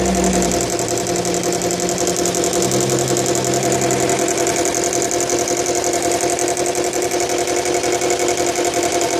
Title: bl5 legacy rattling noise